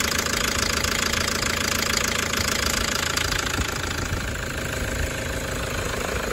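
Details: Toyota 1KD-FTV D4D diesel, injectors done the day before, fine on a 20 km road test: sharp metallic rattle, three to four knocks a second, over idle clatter, cycling about 10 seconds on/off from cold; owner suspects water, later fixed itself.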